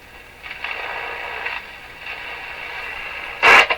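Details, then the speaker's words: Rogers 11RA651 shortwave radio with the external antenna reconnected: steady static hiss with a louder crackling burst near the end, heard even at minimum volume. Crackling capacitors are being replaced. "So all this noise we hear now is coming with the volume set at minimum."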